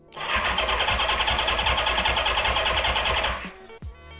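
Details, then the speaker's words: 1975/76 Honda CB550 barn find with 6,738 miles after decades of sitting, fuel reaching the engine: starter spins at a steady, even pace for about three seconds but it never fires; cranks but won't start, spark not yet checked. "Okay. So, we're not getting anything. Okay. I don't hear it going going off or anything."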